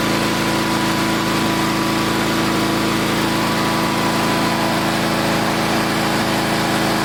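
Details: Old Onan twin engine just after replacing points and condenser, running at half throttle: even steady hum with smooth low beat, no pops, sputters, misfire or arcing; runs cleanly, carburetor needs slight fine-tuning.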